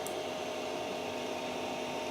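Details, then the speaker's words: Creality CR-10S 3D printer after fitting steel-and-rubber NEMA 17 stepper motor vibration dampers: a soft, steady mid-pitched hum under faint hiss with no buzz or rattle as the axes move. Far quieter than before the dampers, normal quiet stepper motion. "this is unbelievable man the thing doesn't make any it barely makes any noise compared to the previous clip which I will edit right in there now"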